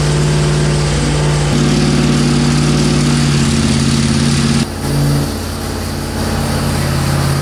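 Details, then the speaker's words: Gen 1 HEMI V8 on an engine dyno during a test: loud, heavy, uneven running with a coarse shaking drone and a dip partway through; heavy vibration follows starter adjustments, cause unclear. "besides the start of going a noisy coming a lot of noise out of it a lot of vibration there's a lot of vibration"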